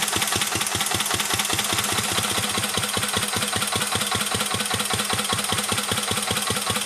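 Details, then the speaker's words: 1949 Petter A1 air-cooled single-cylinder stationary engine driving a homemade "Bitsa" generator: steady, even chuffing beat around two and a half per second, no knocks or misses; healthy, normal running under generator load. "okay I've now got the engine hooked up to the generator saw started up again and get generating electricity and then once it's running I'll shut up for a bit so you can enjoy the sound of a vintage engine"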